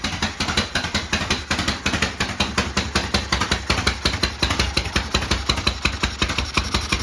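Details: 1972 Harley-Davidson Sportster, first cold start after 32 years with new starter, solenoid, regulator and sorted wiring: lumpy but even V-twin idle, about three beats a second, steady; normal idle.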